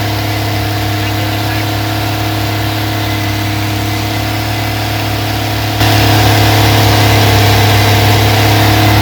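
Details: Rebuilt 230 six-cylinder on first start, cam break-in at fast idle about 2000 rpm, 40 psi oil pressure, 180° temp, timing advanced to about 10° initial; even firing drone stepping slightly louder midway, no lifter tick; healthy.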